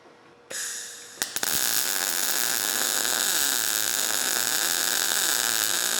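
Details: Everlast PowerMTS 141Si 120V multi-process welder in MIG mode, wire speed 160 in/min, raised to 21 volts: a steady, even frying crackle with no pops or sputter. A smooth, well-tuned MIG arc that welds nicely.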